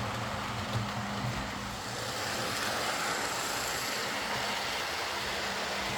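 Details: Old Lima Class 40 model locomotive in BR green, after front-bogie fault fixed by fitting a complete replacement motorised chassis: soft, steady whirr, even as it pulls away slowly, no grinding, buzzing or stutter; runs smoothly and quietly with low current draw.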